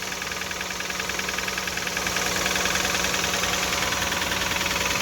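A steady light tapping at roughly two and a half per second rides over the idle; the engine is knocking just after startup.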